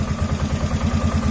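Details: 2007 Polaris Sportsman 450 after fuel pump replacement, fuel filling through, tank low: steady low thumping idle at even beat, no misses, stumbles or knocks; runs smoothly; normal idle.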